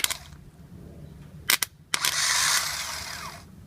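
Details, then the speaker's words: 2010 Toyota Sequoia starter removed, motor energized directly on bench: short clicks then bright whirring spin about 1.5 s winding down smoothly; starter motor works, solenoid is bad, whole starter replaced. "so it's a bad solenoid starter motor works"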